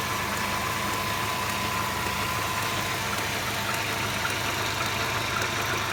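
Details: Mercedes SLK 230 (R170) at hot idle: steady idle with an uneven rattly clatter, heard only when the engine is hot; fuel consumption, acceleration and smoke normal; new water pump, thermostat, belts, engine/transmission mounts, oil changed 1000 km ago; source unknown.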